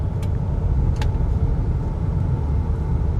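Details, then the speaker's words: BMW X5 after full suspension overhaul with worn bushes and joints replaced and wheel alignment done, driven on a rough road: steady low road rumble from inside, no knocks or clunks, patches barely felt anymore. "उल्टा पहले तो थोड़े बहुत पैचे पर हमें झटके महसूस होते थे अभी ये पैचे के ऊपर से गाड़ी कब जा रही है हमें पता भी नहीं चल रहा है"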